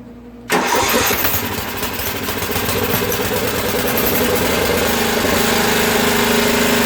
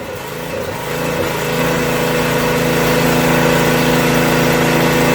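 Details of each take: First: Craftsman rear-engine tractor, 13hp Tecumseh OHV, after valve repair for no compression: starts with a crack, then fast slightly ragged hunting beat; sounds lean, water in fuel; lean running engine. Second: Craftsman rear-engine tractor, 13hp Tecumseh OHV single, after valve repair and governor spring moved down one hole: climbs to a steady, even beat about four pulses a second and holds speed; running properly, problem seemingly solved.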